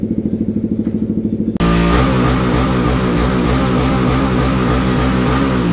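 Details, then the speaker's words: Raider 150 FI motorcycle after repair of oil-neglect engine noise: loud, even beat from tuned race exhaust, no internal rattle or clatter; engine quiet and healthy again. "So, yun, okay na okay. Tahimik na ulit, flashing na lang."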